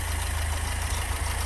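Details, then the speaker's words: BMW E30 Touring with a 4-cylinder 1.6-litre engine of about 100 hp: a low, even idle burble with a steady pulse and no knock or miss; it idles normally. "Okay, let's look at this engine and listen to it. This is a 4-cylinder 1.6 liter, just a little bit of 100 horsepower."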